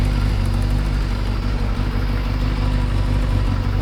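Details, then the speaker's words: Kawasaki ZXR750 H1 after balancing the carburettors with vacuum gauges: a steady, even idle with a smooth low burble and no hunting or misfire. The tone has changed and it is now a normal idle, though the carbs are not yet perfectly balanced. "That's looking a lot healthier. They're not absolutely perfect yet, but they're a lot better. And all of a sudden, the bikes, the tone of the bikes changed."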